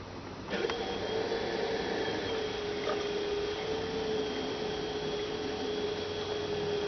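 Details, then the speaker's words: 2006 Toyota Prius coolant bleeding, about 1.5 gallons refilled, radiator seemingly full: electric coolant pump starts and holds steady even whine at about 3.5-4 amps, run 5-10 seconds at a time; normal. "So we're reading about 3.5, 4 amps. Pretty steady. So that's sounding pretty good."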